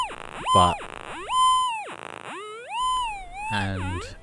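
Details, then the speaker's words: Old SD2100 metal detector with a battery mod, recently brought out after years of storage. With no target present, warbling tones sweep up and down at random. It is stable when first balanced, then becomes unstable and falses every 5–10 minutes. "it will do it whether I'm walking sometimes it will randomly do it and then other times like here where I'm trying to find a Target it will just randomly start doing it um it usually doesn't last as long as it does in this one"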